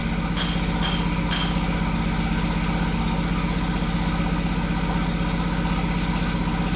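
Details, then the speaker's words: 2001 VW Jetta Wolfsburg 1.8T, bought non-running with harness problems, idling with a heavy shaking lope about four beats a second and a flashing check-engine light; misfires on cylinders two and three plus random misfire (P0302, P0303, P0300). "so we have random misfire and cylinder number three and still the number two misfire fifteen and sixteen"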